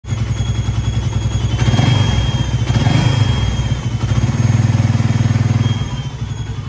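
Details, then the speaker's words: Suzuki Raider/Satria motorcycle idling with a thin, steady high-pitched cricket-like chirp over the low engine thump from the lower engine, suspected water pump; mixed coolants left deposits inside; water pump chirp. "Đây là một con Raider mà đang phát ra một tiếng kêu rất là lạ ở cái bụng máy thì mình nghi ngờ thì con này nó sẽ kêu ở cái thố bơm nước anh em á"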